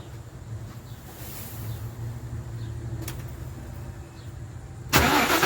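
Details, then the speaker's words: Ford 4.6L 2-valve V8 in a 2010 Crown Vic with a junkyard M90 supercharger and manual 5-speed idles with a low, steady hum and no belt whistle. This is after the timing chain rebuild and a new tensioner assembly and idler pulley: nice and quiet. "nice and quiet no more noise"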